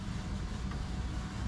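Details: 1973 Chevy K5 Blazer with an LS swap, first start attempt after installing a Painless wiring harness and Dakota Digital gauges: a fuel pump is heard pumping, then a short, low, rumbling crank that never catches. The owner suspects a fault in the LS harness.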